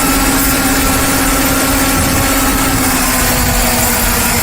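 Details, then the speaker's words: Ford Taurus with P0171/P0174 lean codes: after the vacuum-leak hiss was found and fixed, the petrol engine idles evenly and steadily, with no hissing or speed change. Normal idle. "engine doesn't change speed no more so I think I found my problem or I should say fixed"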